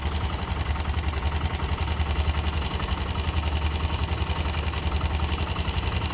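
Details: YB motorcycle idling with a regular light tick, about three or four a second, evenly paced over the engine; abnormal engine noise, cause unknown.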